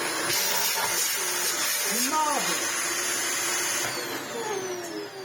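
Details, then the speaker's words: Dyson DC18 Slim vacuum, in for a service, has a steady high motor whine with a thin, strained suction note. The suction loss is traced to a blocked wand, which is easy to fix. "we have a blocked wand. That is relatively easy to sort."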